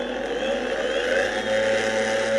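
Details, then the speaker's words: Boosted Board Mini X electric skateboard, three-month-old hub motors: steady mid-pitched whir with faint uneven ticking on top, before motor replacement; hub motor clicking. "So yeah, that is not good at all, and I am definitely glad to be getting rid of that sound."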